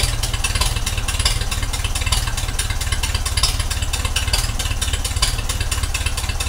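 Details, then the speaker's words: 1956 Ferguson 20 TVO tractor first started after 8 years idle, carburettor cleaned and needle adjusted: engine lopes unevenly at idle, beats stumbling and skipping; still misfiring, running rough, carburettor needles being re-adjusted. "still not just running right is she so you turn back into needles"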